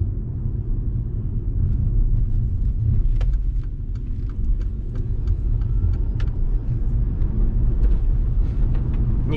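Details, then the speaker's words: Mercedes-Benz Electric Drive (Tesla-built motor), about 96,000 km, test drive after electric motor repair: only steady low road rumble, no motor whine or bearing growl; drive unit now runs absolutely quiet and healthy. "noise absolutely quiet running 96000 72 now our work has already been completed on this car it will be possible to give it no noises everything works fine"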